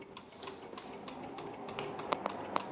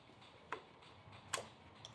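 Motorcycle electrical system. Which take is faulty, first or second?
first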